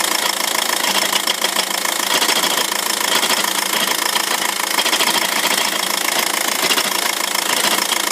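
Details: 2006 VW 1.9 TDI with DSG automatic at diesel idle: loose metallic rattle and clatter from a worn dual mass flywheel that needs replacing.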